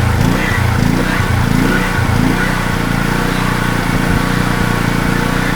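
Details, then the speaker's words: Wacker Neuson GP2500 generator, Honda GX160 engine, throttle held by hand: labours unevenly, surging and sagging with no steady beat, struggling to run; fuel starvation suspected, not confirmed, owner says not enough fuel. "holding the throttle at the moment, but it doesn't seem to want to run"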